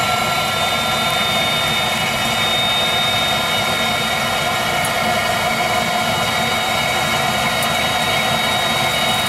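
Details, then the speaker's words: Viessmann Vitodens 200-W WB2B35 condensing boiler, built about 2011, about 5 years in service, just started: even steady roar with faint whistle, no pulsing or pops; burner ignited, operating normally before intermittent non-heating fault. "burner ignited operating [Applause] normally no problems"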